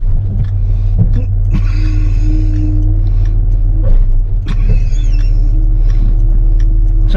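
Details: 1992 GMC Sonoma GT rolling on the road: steady singing tone over road rumble, holding pitch with speed; rear brake dragging that has worsened.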